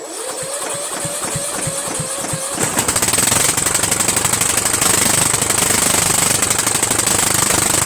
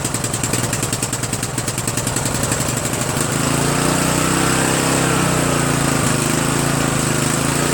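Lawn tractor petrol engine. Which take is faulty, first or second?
first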